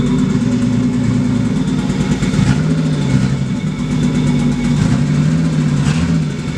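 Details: Barra-swapped Mustang drift car: lumpy, hunting, stumbling idle, running very poorly; AFRs pegged lean over 17, cylinder one reading 40% colder, its injector not popping off; misfire from faulty injector, fixed by replacing injectors.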